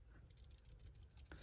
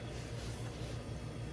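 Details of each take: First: Refrigerator with no power, compressor overload protector removed and shaken by hand: quick light clicking rattle of a loose internal piece, showing the overload protector has failed. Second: General Electric fridge that lost power: compressor likely got too warm and shut off; after cooling the overload protector socket and plugging back in, cooling fan starts and compressor runs with a steady low hum and slight pulse, expected to run a few hours until it heats again.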